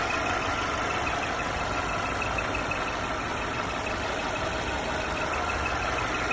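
Engine idling with a thin, steady high whistle sitting above the hum of the motor; a whistling noise from the engine bay.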